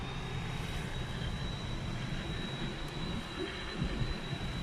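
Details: New Skoda Rapid with climate control running: thin, steady high whistle over the low rush of the cabin fan, from the driver's door glass area; window position changes the sound.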